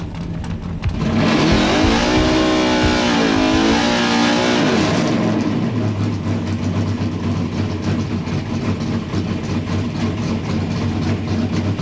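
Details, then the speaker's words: Drag race car hard launch on well-prepped track, low ambient temperature, presumed no-nitrous run, no tire spin: engine note rises, dips on the shift and climbs again into a steady roar; strong, clean running under full load. "But car looks good, sounds good."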